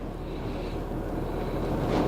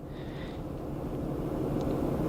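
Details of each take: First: 2004 Acura TL 3.2 V6 after replacing a bad ignition coil found by swapping coils for P0300 misfire: steady, even low idle hum, no stumbles, misfire counts zero; normal idle after repair. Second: 2004 Acura TL 3.2 V6 on a cold, rainy day with a blinking check engine light and code P0300: uneven, lumpy, choppy idle from a cylinder 4 misfire, traced by coil swap to a bad ignition coil.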